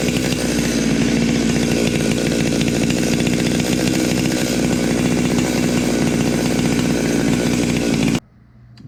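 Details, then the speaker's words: Stihl MS 200T chainsaw just after first port and muffler mod, good compression, no chain fitted: loud steady high-revving two-stroke buzz held evenly about eight seconds before cutting off. Normal running. "I just couldn't wait to fire it up I had to test it out it's uh it's gonna be awesome"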